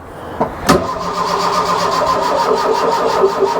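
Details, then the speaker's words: Mk1 Ford Fiesta Ghia 1.1 barn find, jump pack on: even starter whirr about five pulses a second, never fires. Crank no-start; they suspect the starter motor, not battery; fuel and spark believed present, firing order being checked. "that's the starter motor I believe cuz it only it only lets you crank for like 10 seconds and then doors of death but I don't think it's a battery cuz of well we've got the jump pack on as well"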